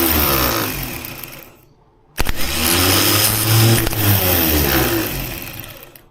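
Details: 1976 BMW 2002, freshly assembled engine, newly fitted starter run after oiling its drive: whirs, fades, then spins strongly and evenly with no grinding, ready to turn the motor.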